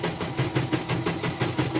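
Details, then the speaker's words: Portable embroidery machine after rotary hook sanded smooth and bobbin case replaced: quick, even soft chatter at about seven strokes a second with no clack or scrape; the hook now runs smoothly. "Jadi sudah halus, suara sudah krok-krok-krok-krok gitu, halus."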